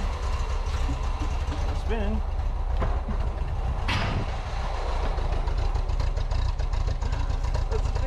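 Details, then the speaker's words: 1977 Datsun B210 first start after fuel and ignition system cleanup, two gallons of fresh gas, fuel primed by syringe; starts right up but runs with a deep, uneven, lumpy rumble and sounds bad; rough running, cause unknown. "amazing oh my gosh sounds bad"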